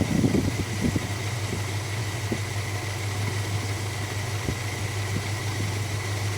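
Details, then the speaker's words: 1969 Dodge Dart GT with a new carburetor, smoky from a bad ring: the idle mixture screws are turned in until it leans out. The low idle has uneven, scattered thumps settling into a wavering beat, a rough lean idle before each screw is backed out half a turn. "All right. So, it's starting to run a little rough here. We'll back it out half a turn."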